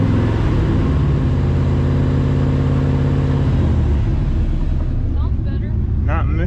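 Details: 1948 Dodge pickup with a 5.3 LS swap, started before a long tow trip: a steady, deep idle with an even beat and no missed firing pulses. The engine runs smoothly.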